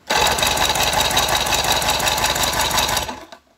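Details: Force 120 (Mercury) 1999 two-stroke outboard removed from a Bayliner, cranked for a compression check: even starter cranking at about three beats per second for three seconds, each beat alike; compression measured about 11.5–12 on each cylinder, even and good.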